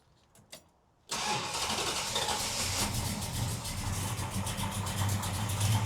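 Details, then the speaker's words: 1972 Dodge Charger just after alternator replacement: short crank, fires at once and settles into a steady, even idle with no stumble or knock; charging then reads about 14 volts on throttle. "All right, we got it fired up. Let's see if we're charging."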